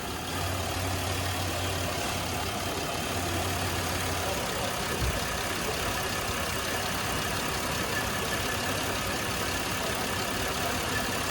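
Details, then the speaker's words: Petrol engine during a lab test with excess propane fed into the intake and the injector circuit still connected. Idle turns rough and uneven from the over-rich mixture, and the engine eventually stalls. "right now we're going to test to see if the vehicle will die if there's too much propane done and put into the system you can hear the rough"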